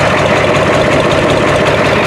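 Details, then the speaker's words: 1993 Ford F-250 7.3 IDI non-turbo diesel, 242,824 miles, with a makeshift modified muffler: steady, even diesel clatter at idle, no misses or lope, constant note, no smoke; healthy idle. "That sounds a lot better. Not even smoking."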